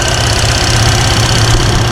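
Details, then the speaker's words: 1966 Mustang 289 V8 with TKX transmission and Holley Sniper 2 EFI, idling while warming at 140°: a steady, even low rumble with the IAC audible and a light regular injector tick, no misses or knocks; a normal idle. "I can hear the sniper a little bit like the iac and you can hear the injectors ticking."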